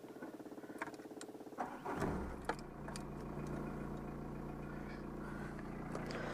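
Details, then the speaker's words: Peugeot 309 old diesel, engine warm: electric fuel lift pump ticks about twice a second then hums steadily, circulating diesel before start during preheat; pump stops automatically once the engine runs via the pressure sensor; normal. "donc je suis sûr que ce qu'on entend c'est une pompe qui qui fait circuler un peu le diesel avant de démarrer pendant le préchauffage"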